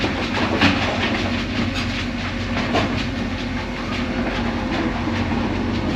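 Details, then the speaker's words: Crusher after fitting new blow bars and hammer bars, about 30 minutes of test running under load: steady heavy rumble with even rattling of material, no knocks or surges; running normally, slightly slower from the added resistance. "Well, I've been running for about 30 minutes. Just doing some test runs here, making sure everything's going good."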